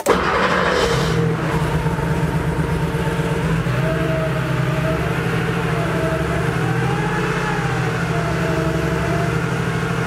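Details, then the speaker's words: Porsche 3.2 Carrera flat-six on first start after rebuild and install, cold and about 1.5 quarts low on oil; slightly uneven idle shakes the deck lid, owner suspects one weak cylinder, later settles to a solid idle. "you know it's not super duper smooth is it you've got to see the deck lid jiggling back and forth here i don't know it almost sounds like we have maybe one cylinder that's not super happy"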